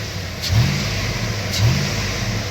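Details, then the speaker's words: 1999 Chevy Silverado 1500 Z71, 5.3 V8, just fired up cold: deep, even idle with two clean throttle blips, no tapping or knock; lacks the usual cold piston-rock tap these engines make, sounds smooth and healthy. "It doesn't even have that typical 5.3 sound. I get the piston rock when you first fire them up."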